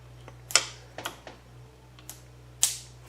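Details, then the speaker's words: Distributor wired to a spark igniter and coil on the bench for a carbureted Camry motor, turned by hand. Sharp, dry, unevenly spaced snapping clicks about twice a second; the ignition coil is firing. "we're gonna turn this over in here see if we hear that coil go off well you hear that oh"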